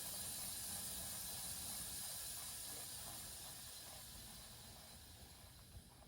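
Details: Basement, house water main slowly reopened after replacing an outdoor spigot: steady airy hiss slowly fading as lines refill, expected to stop on its own; normal refill.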